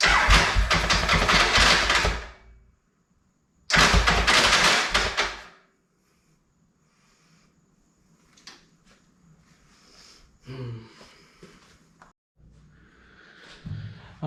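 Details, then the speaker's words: 1996 Triumph Thunderbird 900, cheap project bike, second test fire with spark plugs in and fuel petcock off: two harsh gritty whirring bursts, no catch or firing; starter spins free, owner says starter sprag clutch is bad. "now we know the sprags bad but i still want to hear if i get this motor just running for my own sanity"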